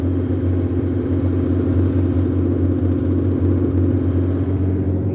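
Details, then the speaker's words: 1989 BMW E34 535i, M30B35 six, after new spark plugs cured the misfire, running with the exhaust cut off: loud, open exhaust note but a steady, even low idle with no misses. Normal idle. "never in my life have I had spark plugs caused this I am freaking amazed right now"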